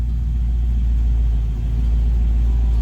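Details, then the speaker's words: Chevy Nova V8 on Holley Sniper EFI after fuel leak found, idle adjusted down: TPS 0, IAC 2–10%, 850 rpm; deep steady rumble with no stumble or hunting, sounds healthy. "Our TPS is still at 0, and our IAC is between 2 and 10%, and our RPM is at 850. That sounds good, right?"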